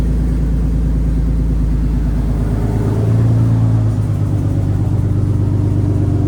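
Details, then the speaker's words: Lexus first start after fitting new aftermarket headers, now catless: deep loud idle rumble with uneven, choppy sputtering pulses and brief hum; suspected backfiring from catless setup or headers not seated correctly, not confirmed. "Y what that noise sound like something was sputtering good now okay so I don't know if you guys heard that in the video it sounds like it's backfiring a little bit he's saying because we are catless now"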